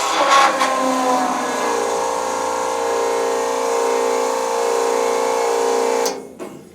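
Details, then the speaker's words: Newly installed electric transfer pump on a diesel storage tank, filter housing filling: even mid-pitched whine, steady about six seconds, then cuts off cleanly; running normally. "I'm sure you heard the pump run. I'm sure you saw the filter housing start to fill up."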